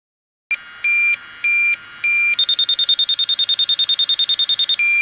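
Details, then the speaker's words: York rooftop HVAC unit, electronic leak detector probe's slow beeps jump to fast steady chirping in the coil; refrigerant leak detected, probably on the back side. "So our leak's right in there. Probably on the back side more."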